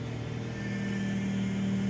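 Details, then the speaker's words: Fiat Uno Vivace power steering: steady low whine over the engine that grows louder while the wheel is turned side to side and steering stiffens; noise stops once the engine warms up; mechanic said it was simply low power steering fluid. "é uma zoada muito feia essa zoada só termina quando o motor esquenta e também você tá na rua você não não consegue escutar e aí eu fui para o mecânico eo mecânico disse que era é simplesmente o óleo da direção hidráulica"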